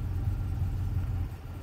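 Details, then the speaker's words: Toyota Tundra at idle during fuel pressure test: low, uneven rumble with a wavering beat that sags, idle near 500 rpm and shaky, AC raises it slightly; owner notes occasional no-start on first try; rough idle. "everything's shaking in here and that's all fine and good it'll run like that for a long time it'll be fine no problem"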